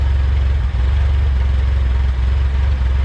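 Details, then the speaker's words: Junkyard-assembled LS-VTEC engine, first run: idling very low with a smooth, steady, even thrum and no ticking or knocking; the whole engine runs healthy and very quiet. "I can't get over the fact of how quiet the engine is. There's no crazy ticking, no nothing whatsoever."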